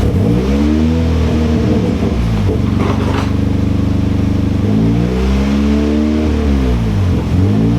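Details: Boosted Nissan KA24 240SX on a first-start attempt after the turbo build: loud surging and sagging, revs hunting without settling; rough, unstable running, cause not found despite checking connections.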